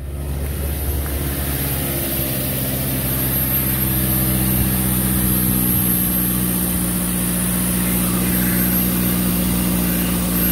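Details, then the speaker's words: 2006 Toyota Tacoma 2.7L 2WD at idle after replacing the failed air injection pump (codes P0418, P2441, P2445) and clearing codes; pump heard switching on with steady, smooth electric hum alongside the idle; normal air injection pump operation. "i can already hear it i already hear it on and running so that's a good sign"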